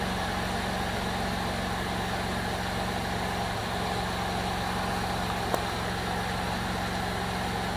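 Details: 2002 Jeep Liberty 3.7 engine just swapped in, first run after intake got wet from pressure washing: smooth, steady idle with even low hum, no knocks or misses; engine runs fine, though lots of smoke and check engine light on.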